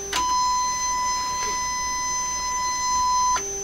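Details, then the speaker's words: 1971 Sony TR-712 transistor radio with injected 1 kHz test tone: harsh, buzzy tone with sharp overtones instead of a pure sine, the output clipping; radio sounds terribly distorted overall. "clearly in my ears that's a uh clipped signal that's what that sounds like to me so instead of being a nice smooth sine wave the top or the bottom is chopped off"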